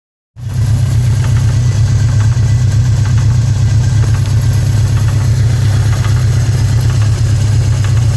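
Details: 1981 GS650G engine idling: deep steady drone with faint light tapping on top; a knock somewhere in the engine, cause not yet pinned down.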